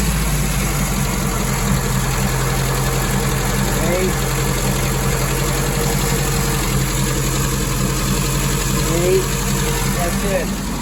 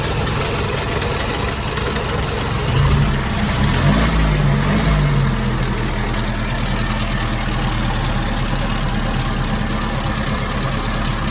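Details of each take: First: 1961 Triumph TR3A with twin SU carburetors at idle after ColorTune mixture setting and balancing carb suction (about 8 and 7): a steady, low, even pulse with no misses or surging, so the idle is normal and smooth. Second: 1961 Triumph TR3A with twin SU carburettors, warm idle during ColorTune mixture check: steady, slightly lumpy loping low rumble; mixture very rich, adjusting nut to lean it off until flame turns blue.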